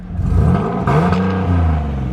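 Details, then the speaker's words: Turbocharged Nissan 370Z Nismo revved briefly, heard from low down: a raspy, breathy rattling edge over the engine note from an exhaust leak that a smoke machine found, at a cracked exhaust crossover pipe. "I'm not too for sure if you guys can hear that, but like you can legit hear that there's like some type of like rattling exhaust leak down here."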